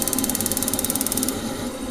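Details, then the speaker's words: Vaillant Turbo Max boiler showing fault F28, with gas confirmed at the supply. Rapid sharp ignition ticks, about fifteen a second, stop with no burner roar: a good spark but no gas. The gas valve is sticking, and tapping it makes the boiler fire. "Okay, so we've got a good spark there. We've just got no gas."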